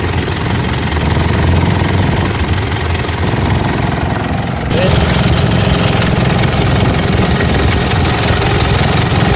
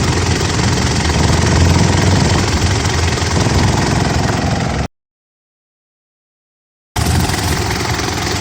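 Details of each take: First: Gen 4 Mitsubishi Pajero idling: loud, buzzy resonant rattle as the top half of the air box vibrates against the lower half near the two engine-side catches, with a Ryco filter fitted. A genuine Mitsubishi filter was suggested as the fix. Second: Gen 4 Mitsubishi Pajero after swapping an aftermarket air filter for a genuine Mitsubishi one, stopping the air box top half vibrating against the bottom: steady low even idle, resonant air box rattle gone.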